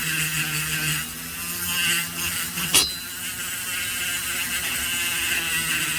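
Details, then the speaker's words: Porting the exhaust port of an Echo 670 chainsaw cylinder with a sanding drum on a small grinder: steady high whine with a brief sharp zing where the bit touches the cylinder wall because the tooling isn't long enough. "You guys hear that zing? That was me going too far into the cylinder because my tooling isn't long enough."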